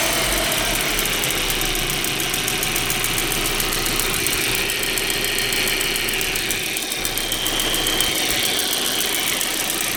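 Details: Steady idle with a fast, light top-end ticking riding on top, about three or four ticks a second, on a 1.8T engine; cause not yet pinned down.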